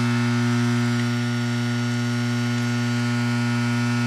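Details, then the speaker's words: Under-cabinet microwave started with a time entered: loud, steady mains-pitched buzz with a rough edge from the high-voltage power supply; transformer buzz. "now you can hear that noise that it's making like I said hear that noise from that power supply"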